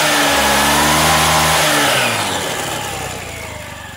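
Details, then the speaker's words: CVT drive tested after reinstalling and tightening the pulley, before the cover goes back on: the engine blips up and winds down smoothly, and the belt drive stays quiet with no whine, which a loose pulley would cause; normal operation. "Oke teman-teman ya, nampak suaranya halus ya, halus, dan digas nggak bunyi wing gitu."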